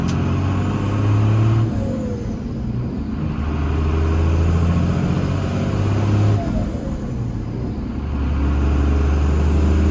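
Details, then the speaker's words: Cummins diesel truck after exhaust work: revs rise and drop with a clean whistle and whoosh as the throttle closes. This is a healthy, normal turbo blow-off sound. "When I let off, it's not just like a little bit of a whistle. It's like the actual, like, Cummins blow-off sound. And it sounds frigging amazing"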